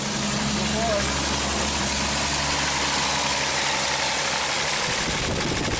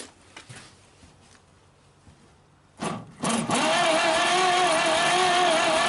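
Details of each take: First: 1939 Chevrolet Master six running after 48 years of storage, before any cleaning. Steady, even idle with no misses, knocks or hunting; described as running pretty good. A throttle problem was put down to rubbing on the belt cover. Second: 1939 Chevrolet Master, stored 48 years, cranking for a compression test on number 3 with oil already in the cylinders. Steady starter whir with an uneven pulse about once a second. Number 3 reads only about 15 psi (number 1 had 30, number 2 had 40); the valves are not seating.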